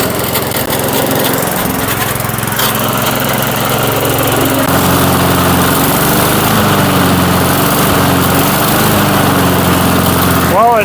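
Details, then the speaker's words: 1996 Murray 22-inch mower, single-cylinder, revived after 10 years dormant, running in a cold Michigan shop after PB Blaster in the cylinder: steady chugging, speed drifting slightly, no misses or knocks; runs fine. "it rattles up okay pretty good. Doesn't sound bad. We'll see if that snow clears out of it a little bit. She don't sound too bad."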